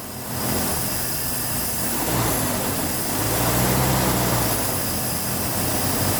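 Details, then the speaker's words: 1976 Chevrolet C10 Scottsdale parked 40 years, running on old gas: rushing hiss as throttle opens from idle, with hesitation on quick revs; carburetor suspected to need a rebuild, B-12 cleaner added helped a little. "The carburetor probably needs a rebuild but I wanted to see if some B-12 would help with that hiss when first giving it some gas."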